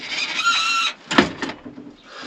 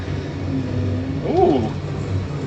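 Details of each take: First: After lubing everything, removing a bolt and nut, separating the parts and applying silicone, a thin high squeak under a second remains as the part moves, followed by a few clunks; still squeaks slightly but is improved. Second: Farm sprayer engine after a squeak was fixed with an access cover removed: a steady, even low drone with no squeal or chirp. It is running smooth and healthy after the repair.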